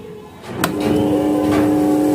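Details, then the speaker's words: Crompton High Flo table fan after motor bush and bracket replacement, tested on first to third speed: clean, steady hum with no rubbing or rattling; previous noise gone, runs smoothly. "ஸ்மூத்தா ஓடுது. அடுத்தது third speed. இப்ப நமக்கு அருமையா ஓட ஆரம்பிச்சிருச்சு."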